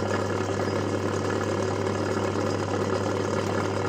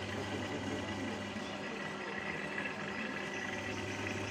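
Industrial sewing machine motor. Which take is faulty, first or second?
first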